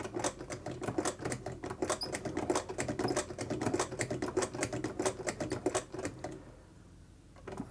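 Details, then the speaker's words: Vulcan Senior toy child's chain-stitch sewing machine, substitute thread tension parts, needle bar just oiled, first test run: light quick steady clicking at cranking pace, no jamming or binding; runs freely and stitches. "let's see if we have any sewing action here okay it's not jamming up it's promising"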